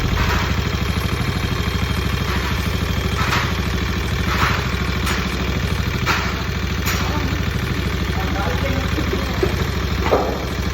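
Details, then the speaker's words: Carbureted Honda Beat scooter idling with a busy metallic clatter from the engine: cam chain slack with age, chain guide sunk, main cause of the noise; piston to be replaced. "untuk kerant ketengnya di sini nih udah kendor karena kemakan usia juga ya guys dan ini dia penyebab utama Kenapa kok mesinnya berisik ya guys"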